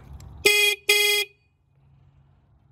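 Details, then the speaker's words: Kubota T1600 diesel mower overheat warning horn giving two short bright honks, each about a third of a second; the horn sounds when the overheat sensor detects the engine getting too hot. "a overheat sensor um that one right there is for your gauge and then that one if you get it too hot it starts honking at you"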